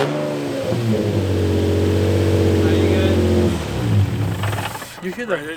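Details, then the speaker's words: Infiniti G35 revved after a wide angle kit and coilovers were installed. The deep engine note climbs smoothly, holds, and drops back cleanly with no misfire or rattle. It sounds noticeably louder than before, but revs normally. "Just me, or that bitch sound way louder. It does sound louder."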